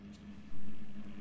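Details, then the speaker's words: LG top-load fuzzy logic washing machine, drain motor powered directly with back cover off: low hum, thump as the brake lever pulls in, then the motor keeps running instead of stopping and locking the lever; faulty drain motor. "but there is a problem you can hear mortar is working even after liver has gone all the way in normally it should stop and lock the liver inside"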